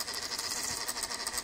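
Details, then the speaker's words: MacBook making intermittent fast fluttering high buzz pulsing several times a second, recurring for years and now louder; loose internal part rattling suspected, source unclear; intermittent buzzing rattle. "This sound is annoying. If someone repeats it here, I can hear it very vibrated."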